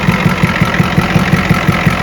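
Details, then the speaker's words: 1986 Ford F350 6.9 IDI diesel, after a defective battery that failed its load test was found: it fires immediately and settles to even diesel clatter at about five to six ticks a second, with no misses; a clean, normal idle. "It fires immediately. Well, what do you know? It works."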